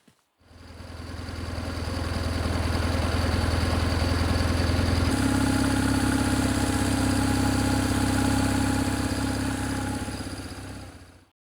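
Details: 2004 BMW R1150GS Adventure, bought as a non-runner, now running after starter work, about 3,000 km since major service: starts cleanly, then holds a steady, even twin-cylinder idle that lifts slightly midway before shutting off, no knock; normal idle.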